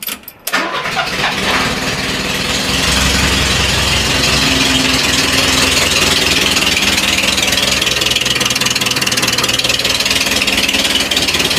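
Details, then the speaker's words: Renault Trafic restarted after 23 years sitting, no coolant/water pump, homemade exhaust with straight-through silencers: short crank, catches, runs rough and very loud with harsh raspy bark, holds idle briefly then stalls. "Je laisse l'échappement comme ça mais bon il fait quand même encore du bruit, c'est parce qu'il faut pas oublier que sur les échappements modernes euh j'ai trop j'ai fait une vidéo j'ai découpé le l'échappement de l'ancien silencieux de"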